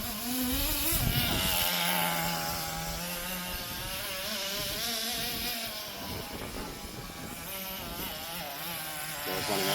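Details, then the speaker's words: Roughly 20-year-old restored HPI Nitro Rush Evo nitro RC buggy, tuned, after a power run up the garden having used a complete tank: high buzzing engine wavers and sags unevenly, stumbling as it runs out of fuel. "it's running out of fuel, I think. Oh, we're out of fuel."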